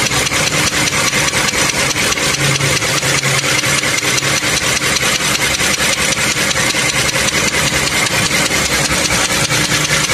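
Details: Toyota Camry 3.5 V6 2GR engine: fast, even metallic clicking at idle, about two to three per second, no compression leak; internal engine knock requiring teardown and overhaul.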